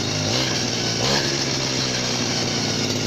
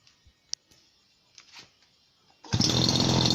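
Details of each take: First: Chinese RBC411 two-stroke brush cutter, about 8 years old, revved to full throttle; high buzzing with a thin steady whine on top, gear head running hot, greasing to be tried: gear head whine. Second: Chinese RBC411 two-stroke brush cutter, about 8 years old, owner always mixed fuel to ratio; starts quickly and settles into a steady, even idle with only slight fan noise, no misses or surging: normal idle.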